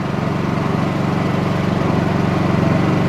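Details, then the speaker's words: Small Honda 2200 W generator running on propane, idling before powering a Dometic 15k RV AC fitted with a Softstart: a low, quiet, even idle with a steady fast pulse and no surging or knocking. Idles smoothly. "all right fired up i don't know what that sounds like on video but this thing is quite quite"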